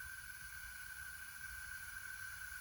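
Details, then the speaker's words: Honda ATC70 engine leak-down test at 20–30 psi: a quiet, steady airy hiss with a faint whistle. Leakage is about 33–35%, against a recommended maximum of about 10%, and is suspected at the top end or valves. "i don't know if you can hear on the camera i can hear some leakage already"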